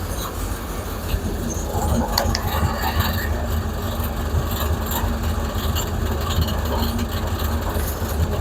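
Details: Plymouth Duster with Hemi V8 after its alternator was replaced, now charging about 14.8–14.9 V: loping idle with a deep uneven burble and street noise, no whine or grinding from the charging side; runs fine.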